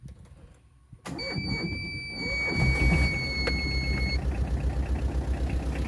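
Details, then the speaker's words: Second-hand Tata Ace EX diesel for sale: starter catches after a second, then a steady, even idle clatter with no odd knocks; owner says the engine is completely fine and healthy. "একদম পূৰা engine চিল হৈছে গাড়ীখনৰ।"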